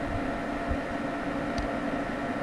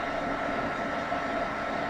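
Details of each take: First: Home server after fan upgrade with Noctua Redux fans and a kept Cooler Master fan: smooth soft whoosh, no rattle or ticking; fans run quietly. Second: Two generic 120 mm case fans on a home server running at 50%: steady airy whoosh with a faint hum; they get much louder at 100%, before an upgrade to Noctua Redux fans.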